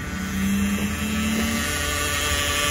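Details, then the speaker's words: Minivan driven onto a car-hauler trailer: steady mid-pitched whine over the engine as the van creeps forward; owner fears the transmission and tows it rather than drive it; whine while driving. "minivan is not supposed to sound like that. You hear that whining? Well, instead of blowing this transmission, I'm gonna tow it back to the house."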